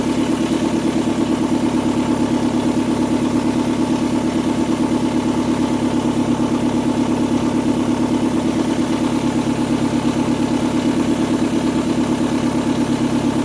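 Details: 2002 Kia Sportage at idle after valve cover gasket and spark plug replacement for a misfire complaint, exhaust pipe not yet installed. Steady, rapid, loud raspy unmuffled puffing, about three pulses a second, from numerous exhaust leaks.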